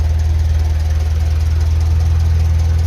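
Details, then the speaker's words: 1956 Ferguson FE 35 TVO tractor after a reconditioned radiator, new fan belt and corrected 12-volt distributor: steady low chugging idle, and the fan belt that was audible before is no longer heard. "whereas now we don't you can actually hear the fan belt over the engine"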